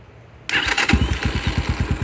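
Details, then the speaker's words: 2022 X-Pro Templar 250cc, 5-speed, with a newly installed Nibbi PE30mm carburettor: starts right away, which it didn't before, and settles into an even idle of about nine beats a second; sounds slightly lean, air screw being adjusted. "it's starting right up which was not doing that before"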